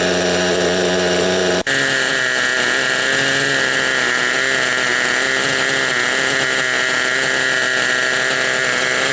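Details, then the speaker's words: Raptor 30 RC helicopter with gasser engine, running at steady speed: buzzy tonal whine with an odd mechanical note; owner unsure whether from the clutch or main gear, not confirmed. "Hey guys, I'm getting a funny noise out of this. I don't know if it's the clutch or the main gear."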